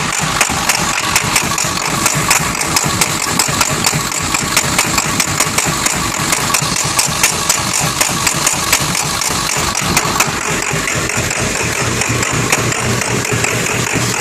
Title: Rough idle1